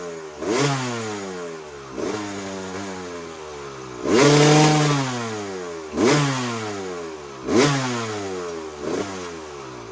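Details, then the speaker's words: 2001 Kawasaki KX250 two-stroke after needle clip raised one position to the second clip to lean the mixture; repeated throttle blips falling back to a slightly uneven idle, not crisp, only slightly improved, poor running, mixture likely still off. "it seems like it definitely got a lot leaner and it seemed like it ran a little bit better the first time but not much so I played around with the uh with the pilot mixture a little bit and I think I might have it improved"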